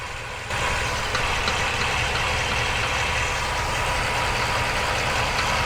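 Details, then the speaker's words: Ford F350 7.3 with 10-speed, about 2,500–2,600 miles, heard from underneath at idle: faint irregular knock about three per second; owner thinks it comes from the transmission but possibly the engine. "so hopefully you can hear that uh definitely seems to be coming from the trance I can check the oil as well to see if there's any metal in oil but it does seem like it's coming from the trans"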